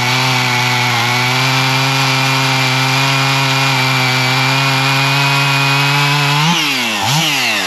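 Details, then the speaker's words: Older Husqvarna 55 Rancher chainsaw after tune-up (carb fixed, chain sharpened, new air filter and plug), cutting hickory: strong steady high note under load, revs rise and dip at end, good-sized chips not fine sawdust; normal cutting. "it's got some good looking chips it's not just a fine sawdust so that's a good piece of uh Hickory actually so that's uh cutting well"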